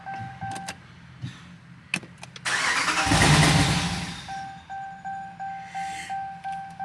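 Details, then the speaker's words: 2019 Ram 5.7 Hemi no-start, battery recently charged: starter clicks, engine catches about a second and a half then dies, warning chimes pulse. "So it starts up and dies out. Let's try this again."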